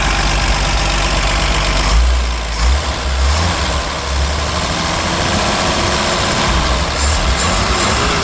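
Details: 1964 Ford F100 with the old six-cylinder engine: an even idle with a light, steady valve tick over a low rumble. This is normal solid-lifter noise and the engine sounds healthy.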